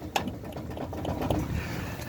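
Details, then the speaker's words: Older GMC truck idling, chasing a front-end clunk: a single dull knock, then another a second later, a play-type clunk; owner believes the steering box or its shaft has play from age, not confirmed. "It is the steering box. I believe it's the steering box or the shaft that goes to it. It's right right there. And you can you can hear it. It's got play in it, and that's probably due to its age."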